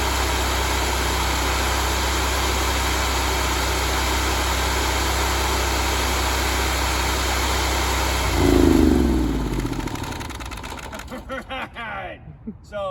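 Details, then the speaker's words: Honda GX630 V-twin after a smoked camshaft, with new oil, running before the speed is set to 3600 rpm. A smooth, even high-speed drone with no skips, then it shuts off and coasts to a stop: normal running. "But it doesn't appear to be dropping a cylinder or anything. It's running good."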